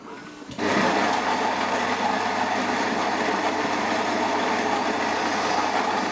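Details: Philips 3300 superautomatic espresso machine grinding at maximum bean amount for an espresso test: a sudden start, then a steady, even high-pitched grinding whir with no catches or pitch drops; the grinder runs normally.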